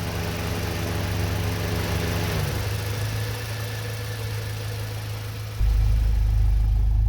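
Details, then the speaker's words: Honda CRX Del Sol after B16 swap, idle: low droning buzz over steady engine note, heard only inside cabin, not outside, with vibration; fuel rail pulsation, fixed by installing pulsation damper nut on fuel rail. "Se aude un bârâit așa la relanti. Se aude numai în interior. Pe afară nu se aude."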